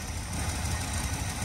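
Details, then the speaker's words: 1969 Dodge Dart Swinger 340 V8 idling after its first start in about 20 years: low, even burble with no knocking or ticking; running smoothly and quietly. "nice and quiet sleeper you know"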